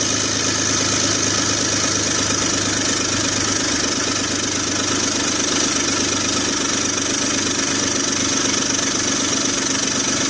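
A fast, puffy ticking rides over a steady six-cylinder idle, the sound of an exhaust leak.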